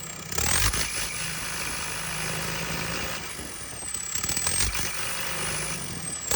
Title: JCB 220 ecomax misfiring